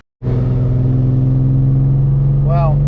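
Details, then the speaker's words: BMW E36 318ti on a test drive after a steering rack swap: low drone with a lumpy, stumbling pulse, a misfire that persisted after clearing codes; owner suspects a coil pack and plans to replace it. "as you can hear this fire didn't go away so I'm limping at home and I'll change the coil pack but uh hopefully that's the problem"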